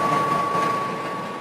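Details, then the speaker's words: DeLonghi Pinguino portable air conditioner cooling with compressor running: rear exhaust fan expelling hot air, steady even whoosh with faint thin tone, running smoothly; normal exhaust fan running. "You can hear the compressor going. And then the exhaust kicks on back here, getting rid of the hot air."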